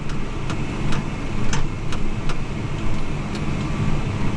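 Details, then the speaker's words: New Holland T8.300 tractor diesel after fan clutch replacement, running: low steady rumble with even rush of air, no surging; fan moving steady airflow, previously barely moving with 195°F intake air temperature. "I can I can hear that fan just moving a steady flow of air"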